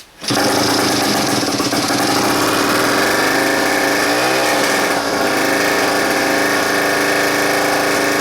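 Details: 1961–65 Schnake mid-jet water-jet outboard, Tecumseh two-stroke air-cooled, about 2–3 hp, started on choke: steady buzzy even high-revving drone with no misses or knocks; runs healthy.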